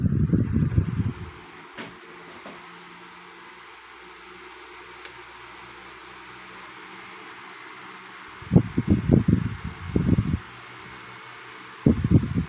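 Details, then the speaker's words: 1980s Northernaire 12-inch fan after cleaning and oiling, running on medium: soft steady whoosh of air with a low even hum, no rattle or ticking; blowing much better than before service. "it's much better if you can hear the airstream hustling into the camera you would notice the difference"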